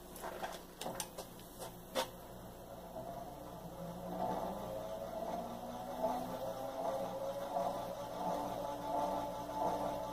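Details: 52-inch single-speed gear-driven ceiling fan with balsa wood blades, plastic blade arms and a gear-driven plastic flywheel, found new in box: a few clicks at switch-on, then a soft, steady whir with a faint even gear hum; normal operation.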